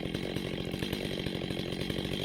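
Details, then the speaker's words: Neglected Stihl 025 chainsaw, warmed up, during carburetor adjustment: rapid even two-stroke buzz at raised idle with no dips; idle screw turned up until the chain just creeps. "so the first thing you want to do is you want to turn up the idle until the chain moves forward just barely"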